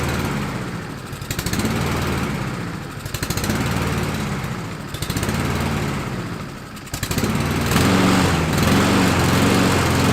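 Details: Husqvarna LC 221RH mower, Honda GCV 160 single-cylinder, with a cheap knockoff carburetor after fire repair: speed swells and sags every second or two before steadying. Surging; owner suspects a jet is too small or clogged.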